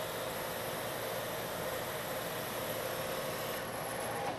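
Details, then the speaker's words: Metal lathe turning a long thin part, same depth and speed as the earlier chattering pass but now supported by a machined center: steady, even cutting hiss with constant mid tone, no chatter or squeal, giving a better surface finish. "the pass I'm making this time is the same in depth and speed as the pass that I just made this time you don't hear the"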